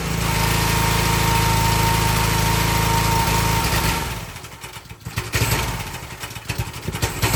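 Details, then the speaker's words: Excell XR2500 pressure washer (DeVilBiss) with 5 hp Honda engine runs normally about 10–15 seconds, then hesitates, surges, misfires and cuts out, sometimes stalling, sometimes recovering; caused by a failed NGK spark plug, not the carburetor. "Okay, that's what it's doing. It runs perfect for a little bit and it starts hesitating and cutting out, but uh it either stall or just sometimes it catches itself and runs again."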